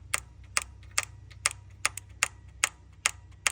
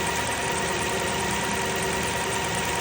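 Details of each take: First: 2002 Lexus LS430 VVT oil control solenoid, engine off: crisp, evenly spaced clicks about twice a second; solenoid switches and sparks normally but makes no difference running, so owner suspects an internal fault despite verified timing. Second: 2002 Lexus LS430 V8 at idle, VVT solenoid energized (spark shows current, it clicks with engine off): steady, even idle never stumbles or drops, so the solenoid has no effect; suspected VVT fault, not confirmed.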